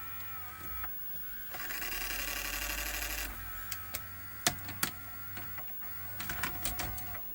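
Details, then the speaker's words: 1988 Sony SLV-353 VHS recorder, slow fast-forward/rewind just fixed: on high-speed rewind a motor whirs about two seconds then quits, leaving scattered clicks; high-speed rewind not working, machine gets stuck in a mode, cause unknown. "There we go. No, it's not happy. So if I turn it off, because it will get stuck in a particular mode."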